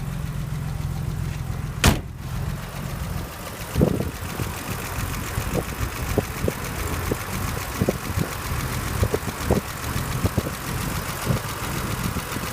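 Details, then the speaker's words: 1983 BMW 635CSI manual, original straight-six idling under the bonnet: steady, even low hum with no hunting, a few light clicks in the background; ticks over nicely. "just a quick video to um show the engine on the 1983 635 CSI so you can hear it running and have a look at the temperature gauge and have a listen to it"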